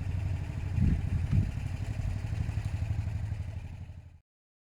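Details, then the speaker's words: Motorcycle following a test ride: a twin-cylinder burble revs briefly, then settles and dies away with no ticking or puffing from the header; the leak can no longer be heard. "I can't hear the exhaust leak anymore I can cancel it"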